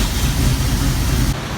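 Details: 1965 Clark Cortez motorhome V8 with the new alternator, run with lights on to load the circuit: deep steady rumble, no stumbling or dying as the old alternator did; running properly on its charging system.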